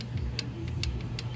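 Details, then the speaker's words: 2014 Honda CR-V 2.4L after another shop's timing chain replacement, no start: light sharp valvetrain clicks on every cylinder as engine is turned by hand, now with compression; valve lash set, cause unclear, borescope inspection next. "there's like a clicking when you rotate the motor on every cylinder but I have compression because it's hard to turn the motor"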